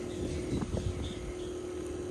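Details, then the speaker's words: Newly retrofitted Bosch IDS 2.1 central air outdoor unit, just charged with 2 lbs refrigerant, running at about 39 Hz: low soft steady hum with faint even tone and wind over unit; compressor running quietly and smoothly. "I mean you could literally hear somebody Whispering you can hear the wind over the unit"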